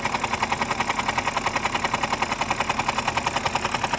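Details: BMW 5 Series F10 with N52B25 engine at cold idle: sharp, even knock about two and a half times a second from the oil pump; fix is oil pump replacement.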